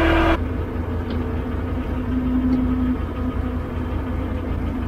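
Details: 12-ton six-wheel diesel grader after a new drive chain, repairs and hydraulic oil brought to the right level: a short start-up burst, then an even, low, steady rumble with no knocks or misses. Normal smooth idle.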